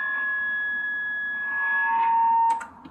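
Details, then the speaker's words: Homemade Jazzcaster guitar with a pure acoustic piezo pickup under the bridge, high gain: sustained pure ringing tone near 1.7 kHz, then one near 900 Hz, holding until cut off; the piezo bridge pickup feeds back easily. "It feeds back kind of easily, especially if you have like a high gain. It's a pure like acoustic piezo under the bridge."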